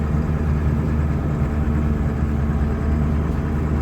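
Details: 1999 Ford F-250 Super Duty 7.3 Powerstroke diesel, automatic, 4WD, revived after sitting over 3 years, after clearing air from fuel: steady even idle, smooth low rumble, no knocks or misses, no smoke; normal idle.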